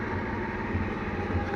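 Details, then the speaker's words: Warm Peugeot V-Clic scooter after refit with cleaned air filter and new fuel filter: steady, even idle at constant pitch with no knocks, surging or missed firing; running fine. "Et là le scooter tourne bien. Ah, il a vraiment envie de démarrer."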